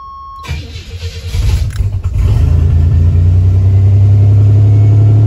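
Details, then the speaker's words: 1986–1987 Buick Grand National/T-type turbo with LS1 MAF just installed and connected; cranks, catches, then holds a loud, steady, racing high idle that never drops. Cause not yet found. "yes it is man that sucks trying to find out what that issue is man"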